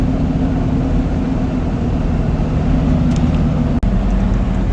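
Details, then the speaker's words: LB7 Duramax diesel with S300 turbo accelerating on the road after new SNS 100% over injectors replaced failed ones: low, even drone with road noise and no knock; hardly any smoke where it once clouded the road, noticeably quieter, healthy. "and now this is how it is speeding up normally hardly no smoke at all compared to it Cloud not the entire Road when I would do that before and I can noticeably hear the difference in the motor on how quiet it"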